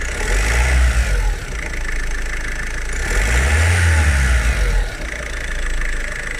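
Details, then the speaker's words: Ford Focus Mk3 1.5 TDCi diesel, after timing belt replacement: revs up and settles back twice cleanly without stumbles or knocks; starts instantly and runs fine, though dual-mass flywheel still noisy, to be replaced. Normal revving. "silniczek pali na strzała chodzi wszystko jest okej"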